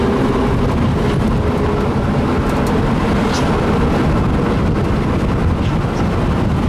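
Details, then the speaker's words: Old lumber truck with an overheated, failing transmission that gave high-pitched scrapes in low gears, pulling away from a stop under load: harsh constant grinding and thrashing from inside the transmission. "oh my God it sounds horrible just thrashing the inside of that"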